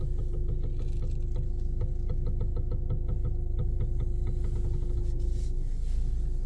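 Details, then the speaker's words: Nissan Xterra with MWM diesel engine on the alignment rack, wheels turned: an even ticking about three times a second over a steady low hum, coming from the steering box. The steering fluid is burned; the cause is suspected, not confirmed. "Pois então vira esse barulho aí a gente já colocou no do alinhamento aqui caixa de direção senhoras e senhores"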